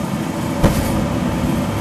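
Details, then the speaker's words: Sonofresco 2 lb gas fluid-bed coffee roaster, start of roast at profile 6 with green beans: steady blower rush and tumbling beans, then one soft whoomp as the gas burner lights cleanly and heating begins. Normal gas burner ignition. "That's the sound of the gas. Boom. So now it's heating up."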